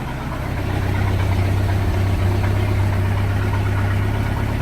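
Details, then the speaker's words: 1986 Sea Ray inboard engine, previously idling roughly, after a fuel line and crush washer fix: a deep, steady idle drone with no stumble or shaking, night and day smoother than before, around 500 rpm. "Oh yeah man that's like that my night and day from what it was that smooth it's not shaken"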